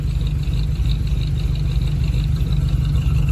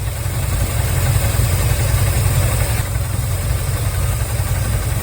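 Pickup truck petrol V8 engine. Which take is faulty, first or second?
second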